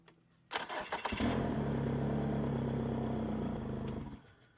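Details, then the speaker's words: Yamaha F150 outboard on hose/ears: owner reported no tell-tale pee stream, and the water pump was possibly burned. It cranks briefly, catches cleanly and settles into a smooth, even idle with water flowing; starts and runs normally. "I'll have to give Ed a call and tell him we ran it through its paces and it looks to be okay."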